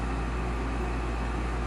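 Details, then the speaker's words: Olsen Ultra Max HDS 90 furnace, new induced draft fan motor fitted (old had bad bearings): the inducer runs with a smooth low hum and soft air rush, no rattle, scrape or squeal; normal operation. "first thermostat calls for heat induced draft fan kicks on which is much quieter than the old one"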